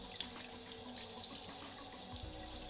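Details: Handheld water sprayer (bidet "bum gun") on a hose in a Finnish home: steady hiss of water jetting, even pressure with no sputter or pulsing. Working normally.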